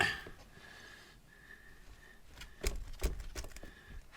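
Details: 2016 KTM 300XC-W, four years old, rear wheel rocked by hand: a few sharp metallic clunks from worn swing-arm pivot bearings/bushings allowing movement at the pivot.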